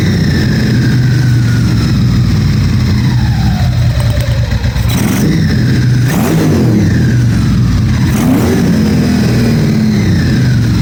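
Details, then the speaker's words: 1997 Ducati 750SS V-twin with newly fitted Keihin FCR39 carbs, first start-up: throttle blips hang high before slowly falling back to idle. The owner reads the hang as a slightly lean mixture and will open the fuel screws half a turn. "I think when it does like that, it hangs. It means that it's a little bit too lean."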